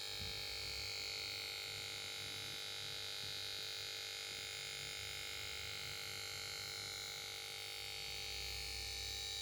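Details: Samsung plasma TV PS42A410C1XBT won't start: stands by and plays melody on switch-on, then power board gives steady thin buzz with high-pitched whine and set never starts.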